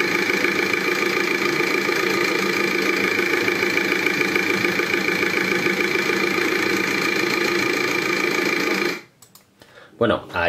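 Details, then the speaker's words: Volkswagen TDI BKD diesel engine with very unstable idle: harsh, clattery uneven ticking at about three to four beats a second; engine oil contaminating the diesel fuel after the tandem pump failed. "let's see this is an engine from a Volkswagen, a BKD, that they brought us to the workshop, because the idling speed was very unstable, this engine did not work well, listen to it,"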